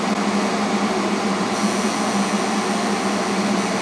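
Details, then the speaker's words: 92% AFUE gas furnace after troubleshooting: glow coil heats, gas valve clicks open, and all main burners light by direct ignition. A steady, even roar of blue flame over a smooth combustion-air blower hum with a faint low tone shows normal firing. "You heard that click? There's the gas valve. There's main burner direct ignition to all the burners."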